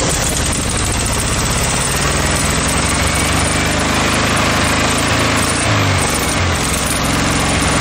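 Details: VW Beetle air-cooled flat-four, swapped into a junkyard VW motorcycle build, running on a temporary gas tank and fuel line. Steady, even running with no misses, stumbles or knocks. Normal running.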